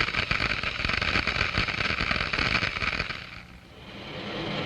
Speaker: The noise is generated by the collapse of these bubbles as they move into the higher pressure in the diffuser.